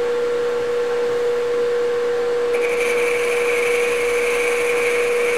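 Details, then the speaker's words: Boring the tailstock bore of a Grizzly G0776 lathe: steady spindle tone, then higher even cutting tone joins and holds, cutting all the way around and making oil smoke; normal continuous boring cut. "I can tell that's cutting all the way around now once it's actually making the oil smoke"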